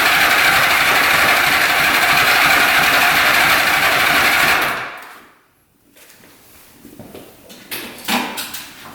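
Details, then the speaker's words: 1975 Honda 1000cc motorcycle stored for 25+ years, spark on all plugs, uncleaned carbs; on restart it runs loud and uneven for about five seconds, then cuts out, with a small fire near the tank; owner suspects the four carbs need cleaning. "Wanted to fire right back up, so I'm guessing it just needs some carbs cleaned, and this thing's gonna be good to go."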